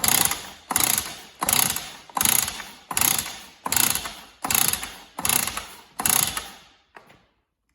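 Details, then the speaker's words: One of three cheap Stihl cut-off saws bought as a lot: recoil starter pulled nine times, about a second apart, each with a raspy squeak, and the engine never fires. Spark is good; owner suspects internal damage. "uh so I could well have damage and it sounds a bit squeaky as well"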